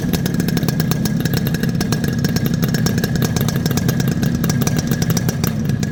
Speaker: ரெண்டு வண்டியோட beat sound கேட்டிருப்பீங்க எப்படி இருக்குங்கறத மறக்காம மறக்காம கமெண்ட் பாக்ஸ்ல சொல்லுங்க